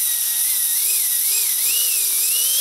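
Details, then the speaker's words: Micro ducted fan (EDF) spun up on a bench servo tester before balancing: high whine wavering, raspy rather than a clean startup tone, with a rattle and vibration felt by hand; unbalanced fan rotor. "it sounds raspy it's not a real clear clean startup tone it's got a rattle to it uh that's a great indication that this thing is not balanced and I know it's not so let's have a listen to it"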